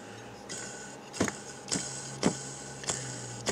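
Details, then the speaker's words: Front bearing of a used Baldor 3-phase 1.5 hp motor (replacing a mill's single-phase motor) spun by hand with the front plate off: dry, gritty rasp with repeated clacks; worn, noisy bearing, to be replaced with a Timken 6203-2Z. "when I took it apart a couple days ago um that this front bearing the front plate off here that this front bearing was pretty noisy"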